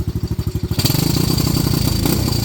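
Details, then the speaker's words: Venom Madix 125 quad with a persistent carb problem, restarted: single-cylinder thump, now running better, but a loose tinny clatter rides on each beat from a part that needs tightening. "She runs actually way better now. It was just running better, but that rattle I don't like. I'm gonna have to figure something out with this."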